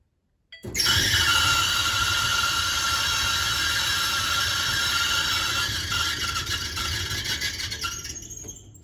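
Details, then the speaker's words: Whirlpool Duet dryer: loud, steady high-pitched squeal over the drum's tumbling rumble, cause not yet found before opening it up. "a squeaky noise we're going to open this up and we're going to see what's going on and we're going to fix it"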